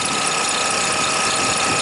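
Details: Toyota Highlander (2007 or 2003), almost 200,000 miles, idling after a dead battery; alternator output reads 22-27 amps and voltage then rises to 13.3. A steady high-pitched squeal that does not change with revs: failing alternator, bad diode.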